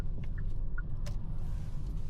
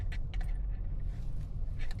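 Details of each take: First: 2025 Hyundai Sonata on a road test after repair, turning left where a front-end rattle was previously heard (main harness earlier replaced): only steady low road rumble, no clunks or rattles; no front-end rattle. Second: 2025 Hyundai Sonata, previously had main harness replaced: short tinny metallic rattles over low road rumble during slow-speed test drive over bumps; front-end rattle, likely loose, worn or broken components.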